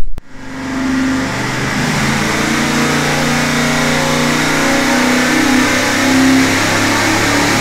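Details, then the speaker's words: Freshly rebuilt 461 cubic inch Pontiac carbureted V8 on dyno, tuning pass after break-in and oil change: hard roar under load at high revs, then hits rev limiter and quits at 5,000 RPM. "we came up against a rev limiter quit right there 5,000 RPM it just came up against the r92"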